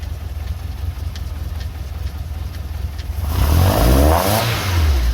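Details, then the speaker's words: VW Mk2 Golf 16V GTI after bike carburettor conversion, started from cold with no choke fitted and a little throttle: uneven low chugging at idle that smooths and rises as it warms; normal cold idle, idling alone within a minute. "as you can hear it's chugging a little bit just because it's cold that'll soon pick up"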